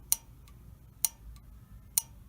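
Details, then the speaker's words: Honeywell gas valve on a water heater that wasn't working, no status LED blinking: three crisp clicks about a second apart with faint ticks as the pilot valve solenoid opens properly, ruling the valve out. "so listen to this you hear that clicking that pilot valve is opening up and working"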